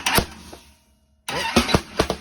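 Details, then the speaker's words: Blown small-block T-bucket, first start attempt with no fuel in it: strong starter spin, then sharp irregular pops from the pipes without catching; ignition timing 180 degrees out. "Starter sounds good, huh? Yeah. Sounds good. We're popping all that thing, boy. We're 180 out."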